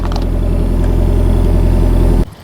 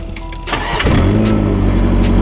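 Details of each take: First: Engine catches and holds a smooth, even idle for a couple of seconds before shutoff, after fitting new plugs and correcting fuel pump wiring that had been reversed; running normally. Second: Engine had a no-start after new plugs. The starter whirrs and the engine coughs, then catches briefly into a rough idle. The cause was a fuel pump wired in reverse, starving the engine; reversing the wiring let it run.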